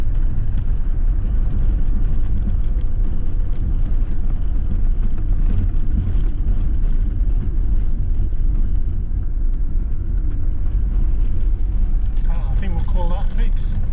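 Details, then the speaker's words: Ford Transit Mk7 front-wheel-drive van on a test drive after replacing the driver's-side front wheel bearing, which had been rumbling for weeks. Steady, even road rumble with no hum or growl rising with speed: normal quiet driving, bearing noise gone. "Silky smooth."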